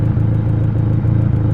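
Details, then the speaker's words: Ford KA idling after fuel pressure regulator replacement: low, steady idle rumble with no misses or ticking, though the idle moves up and down slightly, so the throttle cable is about to be adjusted to lower it; normal idle. "so if you take a look at the idle the idle as is that a constant idle it moves up and down a little bit"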